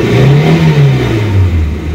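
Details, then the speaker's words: 1989 Ford Pampa CHT, first cold start after carburetor kit replacement, choke being removed: strong, clean rev rising and easing back smoothly with no stumble or pop, second stage opening properly. "ó agora eu vou tirar o afogador tá com um barulho bonito ó com a primeira partida frio segundo estágio tá abrindo"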